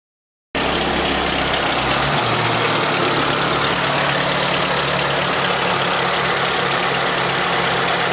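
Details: Honda B18C with CP pistons at cold idle: fast uneven knocking about four per second over a rough engine note, going away when warm; possibly piston slap, unconfirmed.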